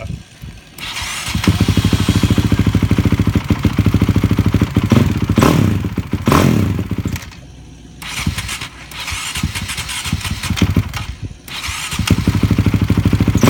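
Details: 2006 Honda CRF450X supermoto, first start after rebuild (right crankcase replaced, 98mm cylinder, Wiseco piston): single revs up and down unevenly, stumbling; still running a little rough, carburetor needs adjusting. Rough running.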